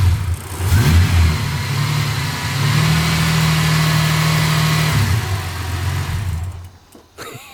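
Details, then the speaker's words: Ford AU Falcon six-cylinder whose idle was turned all the way down after idling too high; revs up and holds on throttle, then sags nearly to a stall; owner suspects the low idle setting, not confirmed. "so i think because i've set all the way down it's just not going to hold its idle so i'm going to put it up a little bit and hopefully that fixes the problem"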